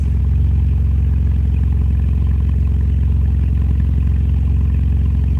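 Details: BMW E85 Z4 after installing a new fuel pump: steady, even low rumble with a regular beat about four per second, no knocks or misses; smooth healthy idle, no leaks.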